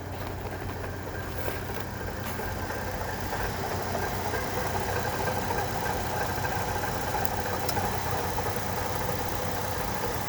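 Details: 2006 Chevrolet Trailblazer 4.2L I6 idling with a dull, muffled knock about three times a second from a worn water pump bearing; replacing the water pump stopped the noise.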